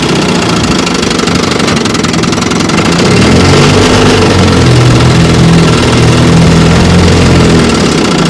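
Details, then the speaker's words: 1954 Johnson QD-15 10 HP two-stroke outboard after full restoration, running in reverse on the water: loud steady even buzz firming slightly under load; reverse works and motor pulls cleanly. "Yeah, reverse works."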